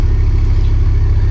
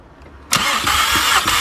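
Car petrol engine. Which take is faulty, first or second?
first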